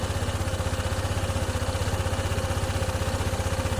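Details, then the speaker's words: Honda ADV 160 scooter with a hard-start problem, just started after ECU work: single-cylinder idle running fast around 1854 rpm with an uneven, hunting beat about three pulses a second; idle too high and wandering, to be reprogrammed. "Mataas pa yung RPM niya. 1854. Ayisin natin yan mamaya program natin top. Ayan nagbabago bago pa yung menor."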